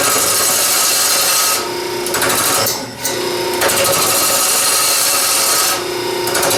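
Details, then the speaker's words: Wood lathe, gouge cutting hard, dense plywood edge grain and glue lines, heavy tool pressure needed: harsh steady rasping scrape broken by short pauses; fairly sharp tool dulling, needs sharpening. "it's a fairly sharp tool I'm not using the the finest tool of God I'd go back and sharpen it before I did any more of that"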